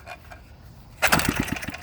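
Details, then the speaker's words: Antique Briggs & Stratton single-cylinder engine, possibly 1950s, previously seized with no compression, pull-rope cranked: fast spin with light, even puffs and little resistance; gauge reads about 25 psi, low compression. "now I'll take the compression gauge so we got what about was that 25 pounds of compression pretty low but it has compression"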